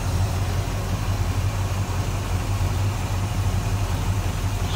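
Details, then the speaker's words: 1965 Pontiac Catalina convertible V8 with power steering and power brakes: deep, even burble with steady low pulses and no misses or knocks. Smooth, normal idle. "smooth running for 89. looks good sounds good"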